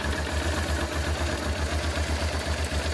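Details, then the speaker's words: Circa 1996 Honda Transalp carbureted V-twin idling unstably before adjustment, an uneven lumpy low thump; rough idle attributed to the carburetor air-fuel mixture screw, lean idle mixture, later fixed by opening the screw. "as you see from the gauge or even from the sound of the engine, the working idle is very unstable."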